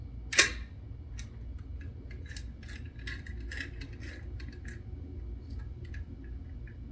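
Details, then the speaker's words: Perfex Forty Four camera shutter at its higher speeds: one crisp single snap rather than separate opening and closing clicks, unlike a standard shutter; fires cleanly and normally. "it doesn't sound like a standard shutter when it's in these higher speeds it sounds like a singular"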